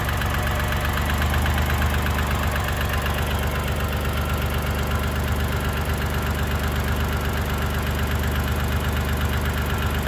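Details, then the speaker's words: 1990 Dodge Grand Caravan LE V6 after reassembly, running on all six, slight revs: steady idle with light uneven clatter, two to three ticks a second; owner suspects a lifter, expects it to go away after a heat cycle. "bet you that'll go away with a heat cycle it sounds like a lifter"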